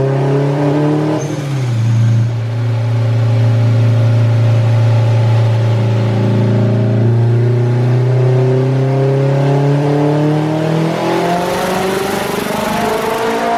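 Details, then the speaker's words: Acura RSX turbocharged, on dyno at full load after boost and duty adjustments, running rich around 11.0 AFR; engine note climbs then collapses into hollow rush as power drops, turbo blew. "think the turbo just went. Yep. It did. That's where I see it. Yep. My turbo just gave out."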